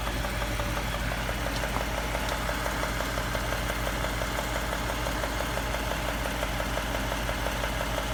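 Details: 2017 Ford 3.5 EcoBoost with 55k miles at idle: steady idle with a rapid light knocking, about three per second and not very even, over the engine hum; possible engine knock, cause unknown.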